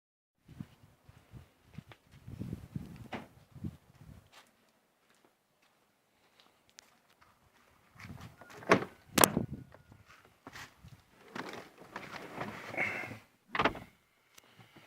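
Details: Renault Megane 2 front end: two bursts of dull, uneven clunks over a quiet background; worn steering rack knocking.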